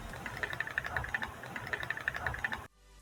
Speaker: bom pessoal o som é devido a unidade da lente da câmera que é necessária para operar a função de auto foco